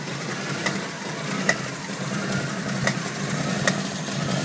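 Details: Jeep CJ7 at steady idle with sharp, slightly uneven knocks about once a second; source not pinned down.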